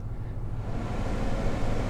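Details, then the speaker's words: Lexus GX460 (2010–2023) after a new HVAC blower motor (part 87103-60400), fan on high: steady, even rush of air with no rubbing, ticking or rough hum, no more noise beyond normal fan sound; normal blower operation. "oh it's brand new no more noise obviously you're going to have some fan noise being you know that the fan is on but dead quiet beautiful"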